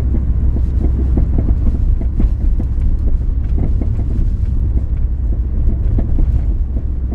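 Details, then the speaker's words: 2000 Ford Focus driven over very bumpy road at night, camera on seat: irregular light clunks and rattles over low road rumble; suspension noise fixed by replacing sway bar end links. "like I said I've looked at everything and I can't figure out what the noise it's it's some kind of suspension noise"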